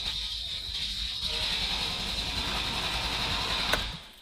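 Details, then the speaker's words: Ferrari first start attempt in two years, sludgy milky oil, oil pressure starting to rise while cranking: starter spins with an even steady rhythm, no uneven beats; compression sounds good and balanced. "We have a little bit of oil pressure. It also seems to have good compression. >> Yeah, it sounds steady."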